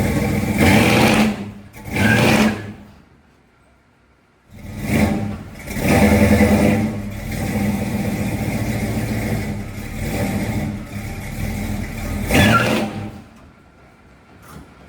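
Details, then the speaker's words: 1979 Dodge D150 Lil' Red Express, rebuilt numbers-matching hydraulic-roller 360 with Edelbrock VRS 650 carb: revs rise slowly and fall back lazily, pickup dull and soft; initial timing 18° (34° at 3,000 rpm), too retarded, before advancing distributor; sluggish throttle response. "The point of that was to show you how lazy it is right now. Now we add timing."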